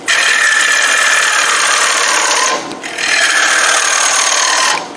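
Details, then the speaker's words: Wood lathe turning a 12-inch green wood bowl blank: a steady, high-pitched squeal over the scraping of the cut, easing when the tool lifts off; the drive belt slips under load because it isn't on the lowest speed, highest torque pulley setting. "You can hear the belt on my lathe kind of squealing a little bit, and that's because I don't have it on the lowest or the highest torque or the lowest speed setting."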